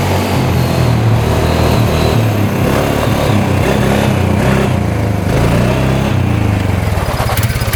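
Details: 2013 Polaris Sportsman 550 EFI EPS 4x4 ATV a dealership deemed not worth fixing, test-run after cleanup with its switch disconnected: single-cylinder thumps at an even, steady beat, no knocks or misses; reverse, high and low gears all work. Normal running.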